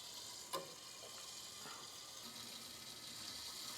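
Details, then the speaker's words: Hot water pipe with a hole under the concrete slab to a guest bathroom, water on: quiet steady hiss with faint watery trickle and slight knocking; water then seeps up through the concrete, not dripping from the pipes. "okay I can hear it going it's got some knocking sounds of some sort but slightly yeah"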